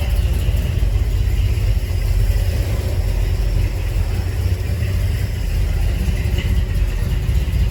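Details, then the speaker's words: 1983 Chevy Silverado V8 after replacing a cracked flexplate that caused a knock near the torque converter: deep, steady rumble at idle and when revved with no knock or clatter; problem fixed. "I think it's fixed Donnie I know it fig or I wouldn't have done it"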